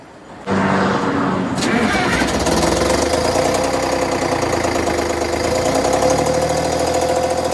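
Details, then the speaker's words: Diesel bus conversion, cold start in chilly weather: cranks and catches, stumbling and uneven before settling into a steadier idle; one bank doesn't want to light, owner plans to check under the valve cover. "happy so i don't know if you could uh hear that but um definitely that one bank just doesn't want a light"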